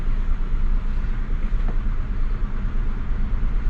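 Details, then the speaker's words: Mazda Bravo B4000 ute after idle control valve replacement, still cold: deep engine note rises on a blip and returns smoothly to just over 1,000 rpm idle without stumble or misfire; normal revving. "give it a bit of a give it a bit of a RI rev's nice and smooth idle's coming straight back down look at that it's just over a th000 though"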